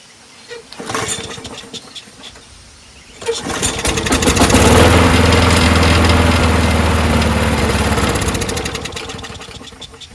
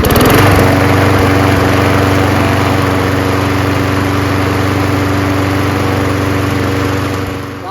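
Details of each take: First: Craftsman 21in push mower, Briggs & Stratton Quantum 6.5HP primer-bulb engine, after muffler bolt fix: a few pulls, catches and runs briefly then dies; carb later cleaned twice with original base gasket. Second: Craftsman 21in push mower, Briggs & Stratton Quantum 6.5HP primer-bulb engine after carburetor clean and new fuel line: fires up, steady even drone with no misses or surging, then winds down; runs well.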